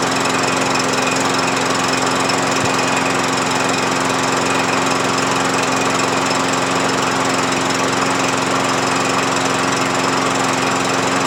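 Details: MTD push mower with a replacement overhead-valve single-cylinder engine and new blade: steady high-speed run with an even exhaust beat and no knocks or misses; healthy.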